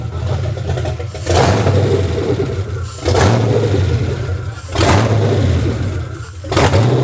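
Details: 2004 Dodge Ram Rumble Bee, freshly swapped 6.1 HEMI V8 from 2006 SRT Charger, first start: catches and surges about every two seconds, sagging between, cannot settle; rough start.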